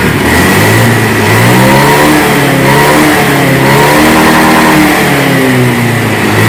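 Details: Honda Beat scooter that hesitated and stuttered on initial throttle and sometimes stalled, after fuel pump and spark plug refitted: revs climb and drop cleanly with no stumble; fault found to be the fuel pump.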